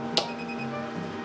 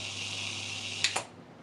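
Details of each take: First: Dayton Audio SPA500 subwoofer plate amp after anti-pop mod, RCA input connected, gain all the way down: one small sharp tick at switch-on, then quiet steady hum; minor acceptable turn-on pop from slight output offset. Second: Dayton Audio SPA500 subwoofer amp after an anti-pop/thump mod, switched off after a 10-second soft-start settle: hum and hiss cut off with only a slight tick, no thump, output DC jump stayed below 180 mV.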